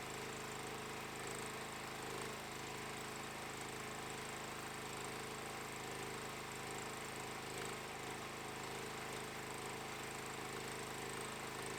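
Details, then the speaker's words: Stager FD10000 generator powering a ProWELD MMA 220Puls welder from its 16 A socket, current lowered to 130 A so the socket fuse stops tripping: a steady engine drone holds its pitch under welding load with no surging; running healthy. "इस सेटिंग से हम बिना किसी रुकावट के वेल्ड करने में सक्षम थे।"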